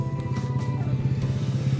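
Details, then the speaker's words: Toyota Kijang Kapsul petrol in neutral, ignition on, owner reports it won't start: fast, even chattering clicks with a low buzz and no engine turnover. Faulty starter motor needing service, with cleaning of the dirty starter internals suggested. "saat ada di dalamnya jadi kayak gitu suaranya cepek cepek"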